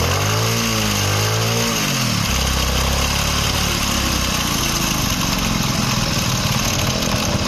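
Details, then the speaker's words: Kick-start motorcycle, engine warm, starting after one or two kicks but stalling when throttled; hard cold starts in winter mornings; engine picks up briefly with a wavering rev, then sags to a rough, uneven idle; lean carburetor mixture. "एक दो किकें मारो फिर start हो जाती है, जैसे ही race देते हैं तो बाइक बंद हो जाती है।"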